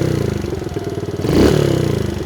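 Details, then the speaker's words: Kawasaki KLX110 pit bike after fuel screw and idle screw adjustment (about a turn and a half out) and new pipe: even single-cylinder idle, then clean quick blip revving out fully; normal idle and rev. "Oh, this thing runs way better. Sounds like a stock bike again. It actually revs out too."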